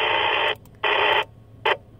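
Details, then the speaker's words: Rexing dashcam near ham radio on 146.550–147.900 MHz: harsh hissing buzz bursts cut in on the receiver as soon as the camera powers on, stopping around 147.9; interference from camera, not its power supply. "so again we'll fire it back up soon as we turn it on the interference kicks back in"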